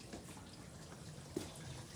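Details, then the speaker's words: Hotpoint LTB 4B019 dishwasher that wasn't filling after a programme was selected, now filling after loose retaining screws were found and contacts cleaned; soft steady trickle and hiss of water entering the tub, normal fill. "that's your clue to be honest so you can hear it now that wasn't working"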